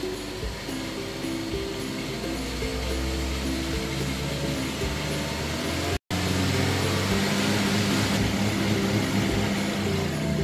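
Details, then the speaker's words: Honda Brio/Jazz/City with check engine light on, revved while parked: rpm climbs then flattens, won't rise past 3000 rpm; scanner found a faulty MAP sensor. "Dia nggak sampai 3000 RPM udah habis. Tuh, 3000. Udah nggak mau nambah, nggak mau naik."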